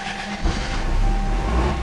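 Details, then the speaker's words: Salvaged Toyota 4A-FE engine, first start after a DIY engine swap with fluids topped off: it catches and settles into a low, even buzzy rumble with a faint steady tone, "a bit like a rice burner". Normal first start. "right kind of sounds like a rice burner a little bit"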